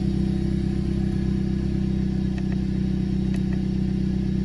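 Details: Honda Civic Type R FK8 turbo engine idling after intake modification (filter with dryer-sheet fail-safe, sensor reconnected): steady even hum with regular exhaust beat, no misses or mechanical noise; runs smoothly, no check engine light.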